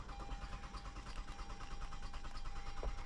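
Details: 2013 Toyota Avalon from auction, dead battery boosted, security light off, compression sounding even: steady starter cranking about three beats a second, never catching; crank no start with fuel pump not running.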